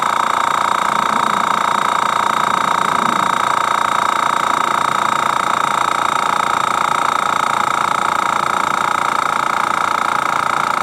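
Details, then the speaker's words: Master Airbrush TC-40T compressor on its first test with a Paasche adapter, building pressure; regulator found factory-set near 60 psi, too high for airbrushing. A steady motor hum at one pitch, no rattles or knocking; normal running. "So what we're going to do now is turn this thing on, see how long it takes to get up the pressure."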